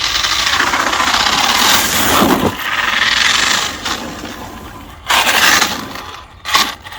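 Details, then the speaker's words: 1/7 scale Arrma Mojave RC truck, unused over a year after bearings failed, rear output gear replaced: harsh gritty grinding over a rising and falling motor whine with the throttle. Drivetrain grinding; gears possibly damaged, or the motor, cause unknown. "It does not sound happy, does it? But what can you do? Send it. It's definitely not standing healthy now"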